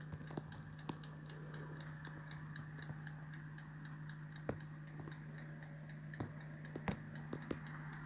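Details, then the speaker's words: 1970s Creda Compact 3 tumble dryer, 41 years old, timed dry only: quiet steady mechanical timer ticking a few beats per second over low hum while running; normal timer ticking. "And it's the noise of the timer."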